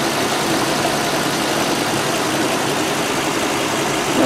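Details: 2010 ambulance engine warming up at idle after leak repairs: steady even smooth low idle, no puffing or ticking from exhaust side; exhaust now quiet, engine healthy.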